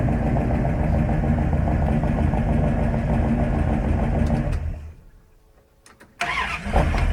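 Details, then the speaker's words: Carbureted engine in a northern Alberta winter, after carb adjustments, already warm from heat soak: choke fully on, fast idle cam set, two pedal pumps. Cranks, catches and settles into a quick, even fast idle; choke working normally. "our choke is on all the way we're on our fast idle cam I've given it two pumps I'm just going to crank it and see what happens and you can hear it trying to come up on it fast idle faster because the engine's already got some warmth to it"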